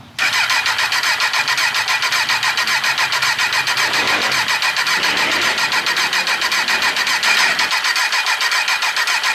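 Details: 2003 Kawasaki Z1000 unstarted for six years stored outside, mouse-infested: engine catches right away then runs fast, rough and rattly, never smoothing — hard starting after long storage.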